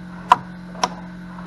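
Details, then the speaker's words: Flood-damaged EZGO gas golf cart from Hurricane Helene: pressing the pedal gives three sharp starter solenoid clicks without real cranking; battery suspected to need charging, not confirmed. "can hear the cind oid clicking I think we just got a a battery here that probably needs a little charging"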